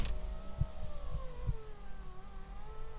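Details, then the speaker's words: Turbo Honda Accord power window: strained motor whir wavering and sagging in pitch as glass crawls upward, won't go up properly; owner suspects voltage drop or need for lubrication, unconfirmed. "sounds like there's a voltage drop see it just won't go up but i don't know if it's because it needs to be lubricated"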